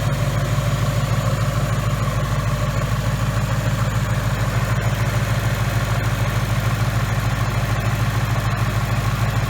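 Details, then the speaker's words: 2018 Mustang GT 5.0 with new forged-piston engine at 300 miles, nearly warm (head temps 197): the V8 idles with a tight, even pulse of about three beats a second, no ticking, and a relatively quiet high-pressure fuel pump; healthy. "at this point this engine to me sounds like my Gen 1 coyote very tight"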